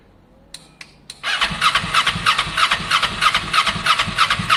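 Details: Kawasaki ER6n project bike, first start-up attempt on a borrowed new battery with old fuel still in the lines: starter chugs about three times a second, never catches. Crank no start; owner thinks he hears spark, plans to add more fuel, cause unconfirmed.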